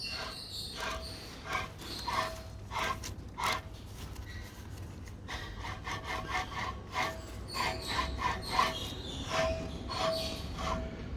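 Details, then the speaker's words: 2014 Jaguar F-Type differential, 85k km, opened and pinion turned by hand, a gritty uneven rasping scrape; the carrier bearings are fine, the pinion bearings are worn. "the problem is not located here on the carrier bearings this our key a problem it's all opinion bearings listen to this"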